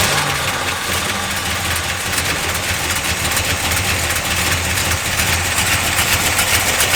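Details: 1972 Dodge Dart Swinger Special, 340 V8 with chop cam, first start in years after the carburetor was repaired with a new gasket and a non-original accelerator pump, no leak: lumpy, choppy steady idle with no stumble, a normal healthy idle.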